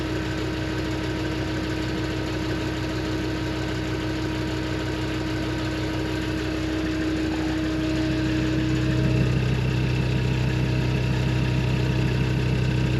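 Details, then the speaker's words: 2004 Land Rover Discovery 2 with a 2.5 TD5 diesel, automatic, after replacing the rattling original rear exhaust section: steady, even idle with a deeper, lower, slightly grunty exhaust note and no knocks or rattles; normal idle. "you can here it just saying a bit more bit lower tone it does yeah yeah"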